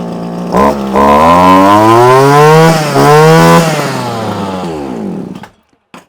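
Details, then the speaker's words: Probably early-1980s Komatsu Zenoah Pro 26 two-stroke strimmer after new carb diaphragm and primer bulb, warmed up, idle raised, on mixed fuel; revs up, holds steady high note, eases down, slightly boggy with no carb adjustment, runs fine. "machine now runs it's a little bit boggy but there's just no adjustment there's no way to lean the machine out make it rich up does not exist on this old style carburetor"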